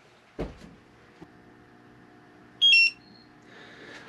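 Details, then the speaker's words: Propane detector in a Class C RV camper calibrated after the oven connection was re-tightened: quiet room, then one short bright high chirp signalling calibration done with no gas present. The oven had leaked propane because the fitting was not tight enough; no leak now. "That's the sound we want to hear. That's the sound we want to hear. So, I'm content that we don't have a leak."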